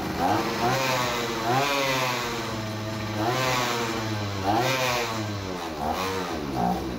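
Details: Two-stroke brushcutter with fairly new carburetor and replaced primer bulb, still not running right; revs surge up and sag every couple of seconds, never settling to steady idle; suspected crankcase air leak, engine gaskets to be checked.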